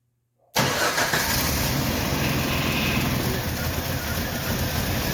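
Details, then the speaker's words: 1990 Jeep, long-sitting project, ignition reportedly faulty, started with starter button on starting spray: catches abruptly and runs at a rough uneven idle briefly; owner suspects a fuel tank issue and a coolant leak; starts then runs briefly. "Sounds like she's leaking something. Let's go have a look-see. Seemed to run for a good long time."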